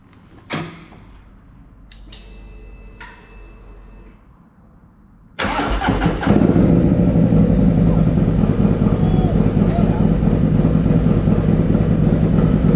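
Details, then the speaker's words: Harley Lowrider S, 131ci Stage IV kit, Cycle-Rama 512 cam replacing Screamin' Eagle 517, first start after swap, cold: fires after about five seconds into a steady lumpy V-twin idle, no knocks or misses; sounds better, healthy. "That sounds way better. Let's just run this thing up a bit more, just get it warmed up a little bit,"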